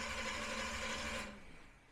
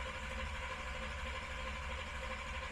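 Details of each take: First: Big-block V8 during Killshot II EFI throttle-body install, before first start, battery freshly charged: a strong, fast, steady cranking whir for about a second with no firing, despite a large voltage drop from the starter; normal cranking. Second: Camaro with new Killshot II EFI, initial start-up: fuel pump not hooked up, pulse width 17, IAC at maximum parked, no TPS. Steady starter drone about three beats a second that never catches: cranks, no start, no fuel.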